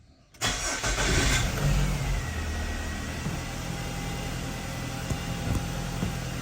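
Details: Nissan X-Trail T30 QR25 after fixing hard starting and P0335 crank sensor/circuit code by reinstalling the timing chain (crank and cam sensors already replaced), scanner shows no codes: catches right away, steady even smooth hum, no misfire or rattle.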